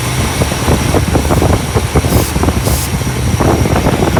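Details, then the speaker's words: 1964 Imperial Crown V8 with idle surge: lumpy uneven idle, two short hissing spray bursts during leak test reveal a vacuum leak at the carburetor base gasket. "hardware installed it okay so definitely has carburetor base gasket issue"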